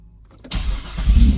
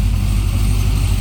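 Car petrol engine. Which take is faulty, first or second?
first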